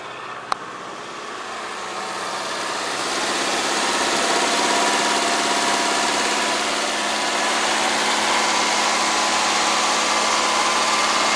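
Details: Engine after replacing spark plugs and leads (owner suspects back left cylinder needs piston rings, oily plug) catches and settles into steady, even idle with smooth rhythmic beat, no misfire stumble or knocking.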